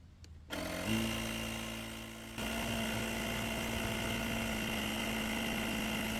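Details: Lithium jump starter's built-in tire compressor inflating a deflated tire from 3.2 PSI toward a 35 PSI setting; it starts up and settles into a steady buzzing drone of constant pitch, running evenly under load.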